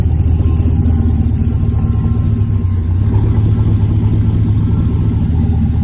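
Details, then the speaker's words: Supercharged LT4 swap in an El Camino after first run-up with good oil pressure and water temp: deep, steady V8 rumble on the road, even and smooth, no knocking or vibration. Normal running. "you know we just kind of let it run for a little bit everything was good no leaks um you know like i said that go good oil pressure um water temp was good um nothing out of the ordinary"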